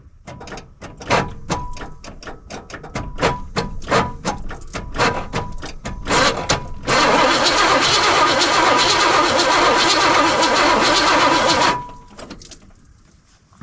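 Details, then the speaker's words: 1979 Trans Am parked for 34 years, first start attempt: the starter turns the engine over at a steady beat for several seconds with no firing at all. The owner suspects there is no spark; not confirmed. "Okay. Well, it don't really sound like it's got spark"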